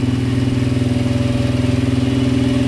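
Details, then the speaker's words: 2010 Polaris Outlaw 90cc ATV, idling: steady, even putter of about fifteen beats a second, never faltering or hunting; idling perfectly though smoking, owner suspects thin oil past stuck rings, hoping smoke clears. "But it's idling perfectly. We'll see if it'll stop smoking here. But so far so good."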